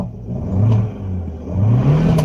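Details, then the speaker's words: Dodge Dart with a misfire, check engine light on and heavy backfiring: engine revs unevenly, surging and dropping back before catching; hesitation under acceleration, cause unconfirmed, injector test planned. "hear the whole car hesitating so I have a couple ideas let's do a injector test"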